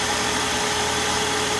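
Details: 2001 Saturn SC2, 5-speed, after a brake pad replacement for steering wheel shake when stopping, steady even idle under heavy hiss with no knocks, misses or rhythm changes; engine healthy.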